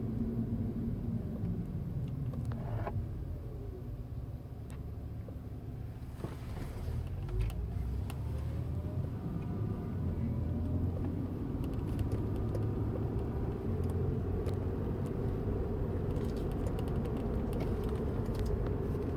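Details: 2007 Acura TL Type S, recorded inside the cabin while moving: faint whine rising and falling in pitch over heavy low road rumble.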